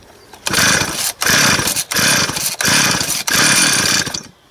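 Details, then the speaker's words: Used Stihl 026 chainsaw that won't start on its own: fuel poured in through the spark plug hole, saw fires with a few high revving bursts, then dies. Ignition works; the carburetor isn't drawing fuel, so it runs only on the primed charge. "der Motor ist jetzt deshalb durchgelaufen weil der jetzt diesen Kraftstoff verbrannt hat den ich hier oben reingefüllt habe aber jetzt ist ja wichtig dass der Kraftstoff über den Vergaser angesaugt wird nein das tut do nicht mehr"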